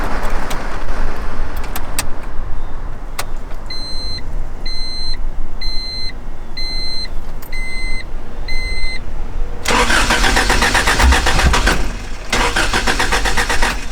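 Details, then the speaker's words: Car on B-series Honda Civic parts (new shop car) hard no-start: chime sounds six times, then two bursts of fast starter cranking that never catch; owner concludes it isn't getting fuel and needs a new fuel pump. "why does it do that? I don't know. Fuck. Hard no starting."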